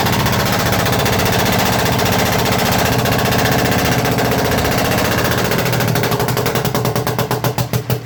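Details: Perkins 1103 diesel: chugging with sharp rapid popping near four per second that spaces out as the engine winds down, a misfire spitting back through the intake manifold.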